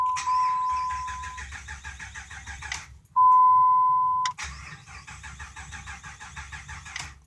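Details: 2005 Dodge Ram 5.7 Hemi: long bursts of even starter cranking, chime between tries, never fires; ABS and brake lights come on while cranking, owner first suspected no fuel; crank no start, cause unconfirmed.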